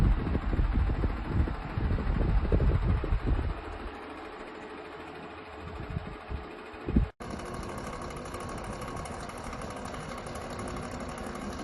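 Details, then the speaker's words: Comfort Zone 9-inch high-velocity cradle fan (3-speed, metal, aluminum blades), bought for nighttime white noise: steady airy whir with a low hum underneath, far louder than a "quiet" fan should be. "Does that sound quiet to you? Not me. I don't know what they call a quiet zone. It should be called mooy. Noisy zone."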